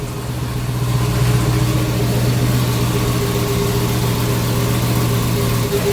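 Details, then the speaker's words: Custom twin-turbo Hellcat V8 with single Comp Cams cam, cold start: deep, steady idle with an even low rumble, no knocks or misses, faint turbo whistle and some manifold noise on top; normal cold-start idle. "as you guys can hear run pretty smooth you hear the turbos a little bit"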